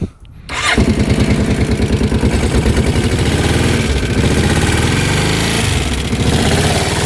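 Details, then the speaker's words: 2006 Kawasaki Brute Force 650 V-twin ATV, reportedly limited to 30 mph; the seller had replaced the battery and timing chain. It starts to a rough idle with a loose, uneven ticking, possibly valves, and smokes when cold. Source unconfirmed. "you can hear the engine's a little wow almost like the valves hear that ticking"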